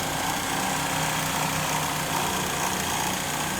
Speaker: this is what I know during idling the engine make a very loud rattling noise when I'm driving I can hear the rattling noise especially when I accelerate